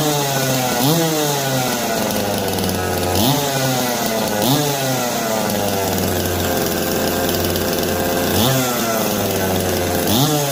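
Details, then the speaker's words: Jonsered 425/490 two-stroke chainsaw, choke off, oiling confirmed: buzz settles to even idle, then revs up cleanly and drops back repeatedly; normal running. "Sounds like it wants to run."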